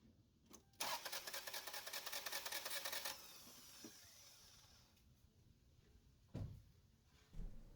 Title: Engine Cranks But Won't Start Diagnosis - How to fix a Car That Won't Start